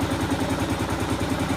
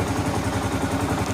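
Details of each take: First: 2015 Kawasaki KLR 650 single warming up after a choke adjustment for hard starting; slow, even thump about five beats a second, idle right at 1,000 rpm, a hair low, before turning the idle adjustment screw counterclockwise to raise it. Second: 2015 Kawasaki KLR 650 single, warm, idle set after choke adjustment that fixed hard starting (choke wasn't opening fully); steady, even thump, about eleven beats a second, no misses or rattles, healthy idle.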